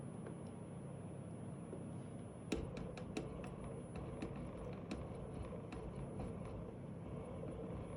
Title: Weird noise coming from one of the actuator